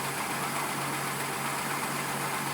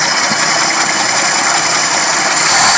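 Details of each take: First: Carbureted car warming up after brake work, spark plugs gapped and vacuum lines plugged; smoothest warm-up idle yet, even low hum without misses, knocks or hunting, though it still bogs and dies with a little throttle. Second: Carbureted car, warmed up at a very low idle, after the plugs were gapped, vacuum lines plugged and carb bolts checked: rough idle swells briefly on a little throttle, then the engine bogs, stumbles and stalls; cause still unknown.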